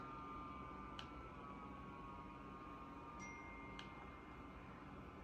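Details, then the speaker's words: Dyson HP09 Purifier Hot+Cool Formaldehyde fan at low speed: soft air rush with a thin, steady, clearly noticeable motor whine above it. The whine grows louder with fan speed, and the faulty unit needs repair. "Now, if we increase the fan speed, the whine will get louder, but actually then the fan gets louder, so it's kind of better. It drowns it out at least."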